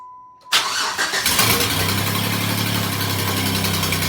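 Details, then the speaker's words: Cheap used Jeep: starter cranks, engine catches into a loud, uneven chuffing tractor-like idle after ignition coil swap didn't help; misfire was a poorly seated throttle body plug, fixed by a junkyard replacement. "it ended up actually being the plug on the throttle body it wasn't it wasn't plugging in correctly"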